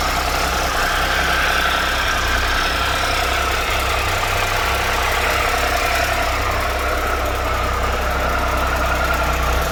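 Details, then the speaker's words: 2013 Triumph Tiger Explorer triple, 34,000 km, idling after replacement of cam chain, hydraulic cam chain tensioner and exhaust header gaskets; now much quieter, only a light even tick under the exhaust note, no excessive ticking. "so right now the engine is very less noisy and it doesn't make any like excessive ticking noise after this this replacement"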